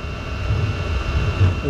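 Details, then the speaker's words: Chinese diesel heater running on waste oil; a low rough roar with an unsteady pulse, then wavering swooping whistles, caused by carbon buildup sitting over the exit of the burn chamber. "So it burnt that much last night before it started acting up. The heater's making some really weird noises."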